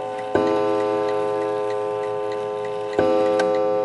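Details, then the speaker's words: Antique 1920 Napoleon hat mantle clock striking, set for 11 o'clock: two clean bell strokes about two and a half seconds apart, each ringing on and fading slowly; the strike is working normally. "There you go. And that pretty much means that it's all set up at 11 o'clock."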